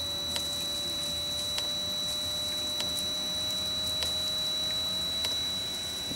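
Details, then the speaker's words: Reconditioned Webasto Thermo Top C diesel water heater, first test run on temporary 12-volt battery, new fuel pump: sharp even ticks about every 1.2 seconds over steady fan whir; dosing pump pulsing normally during start sequence. "Well, we're getting some kind of action here. The pump is pumping, and hopefully we have ignition, I think."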